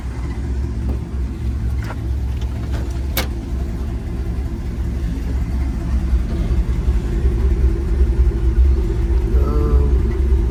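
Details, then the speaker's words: 1964 Buick Riviera with a Wildcat V8, thought to be the 425, at 96,000 miles, exhaust leaking into the cabin and a squeak noted: deep, even V8 rumble building gently with throttle, no ticks or knocks; the engine sounds nice and healthy. "Listen to this. Listen. She sounds nice."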